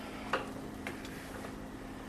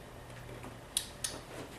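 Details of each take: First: LG plasma TV power supply board EAY60968801 (50PK750/50PK540/50PK550/50PX950/50PK990 family): faint hum with sharp clicks about a second apart that keep repeating while the TV flashes and fails to come on. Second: LG power supply board EAY60968801 (50PK750/50PK540 family plasma TV) plugged in for testing: a few crisp, isolated clicks with no buzzing or chatter, the usual relay click on power-up.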